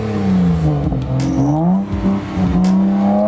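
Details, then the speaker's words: BMW 335xi six-cylinder after muffler delete (resonators kept), revved for recording: clean rising and falling revs, throatier but tame exhaust, no drone or rasp; owner expected too loud but happy; normal revving, muffler-deleted exhaust. "Oh man, I'm pretty happy with how it sounds. I thought it was gonna be like maybe too loud."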